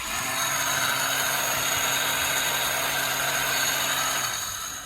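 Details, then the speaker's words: Yamaha Raptor 350 quad during compression test, spark plug out, starter locked on through the solenoid; high even whirring grind with no compression pulses as the starter spins freely: starter one-way clutch shot, crank or starter gear may be worn too. "You know exactly what that is when you hear that sound. The starter gear, the one-way basically bearing, is completely shot"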